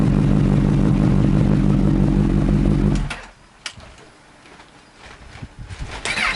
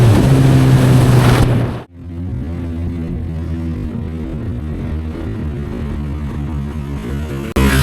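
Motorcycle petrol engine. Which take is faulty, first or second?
first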